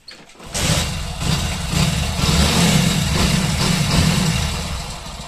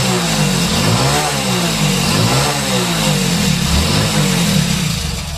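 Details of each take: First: Motorcycle that revved high on its own, after adjusting accelerator cable free play: the engine catches quickly and settles into an even, steady idle without the revs climbing; normal sound, problem fixed. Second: Motorcycle with accelerator cable lacking free play: engine holds a raised, slightly wandering idle with no throttle and won't settle; the stuck cable holds it open, and once freed the bike no longer races by itself.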